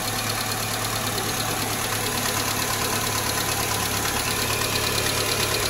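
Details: Nissan Almera G15, Renault K4M 1.6 16V, first start after top-end rebuild with new hydraulic lifters: fast, light metallic ticking over steady idle at the valve cover; one lifter will not bleed up and keeps tapping.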